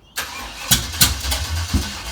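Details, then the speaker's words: Carbureted car engine cranked on ether, spitting back through the carb and catching fire: starter churning with sharp pops and bangs as it tries to catch, an unusual noise; carburettor backfire while cranking. "actually that was a weird noise that's weird i've never heard an engine make that noise before"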